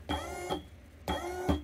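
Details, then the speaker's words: Single actuator motor on a DIY 6DOF motion simulator control box, 24 V supply, about 1 A draw, first test: two short half-second whirs with clunks at start and stop; normal operation. "well as you can hear the motor is moving so let's turn the lights back on okay and we have movement"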